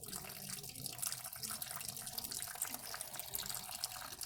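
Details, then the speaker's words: Ford Ka 1.0 2008, bleeding brakes wheel by wheel with ATE DOT 4 fluid through the bleeder, engine off, compressor giving slight pressure: a steady, even hiss of liquid with no more sputtering. Clean fluid now, the air is out of the line. "Pronto. Já tá sendo fluido limpo, né? Parou de sair ar."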